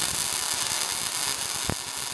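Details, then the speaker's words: MIG welding at the sweet spot: a smooth, steady, even crackling sizzle like bacon frying, with no pops or stutters. Wire speed and voltage are matched; normal MIG arc. "Now listen to the sweet spot. That's the sound. Smooth, steady, like bacon frying or be buzzing. That's what you're chasing."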